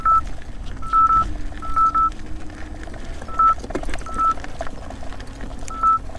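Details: 84 V Nikola electric unicycle on a first small hill: short high beeps in uneven bursts over low motor hum, each meaning about 90 A pulsed through the motor under stress; rider feels unusual vibration. MOSFETs later blew.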